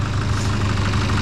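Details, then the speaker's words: Nissan Patrol diesel after new injectors and fuel filter change, previously blowing black smoke: low, smooth idle with steady rumble and no harsh knock or misfire; sounds much nicer, normal idle. "it even just sounds so much nicer"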